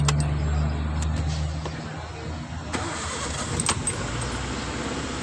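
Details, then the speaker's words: Suzuki Cultus that cranked but wouldn't start, after ECU board repair: brief crank, then catches and settles into a steady, even low rumble with no misses; normal start. "गाड़ी start हो गई है"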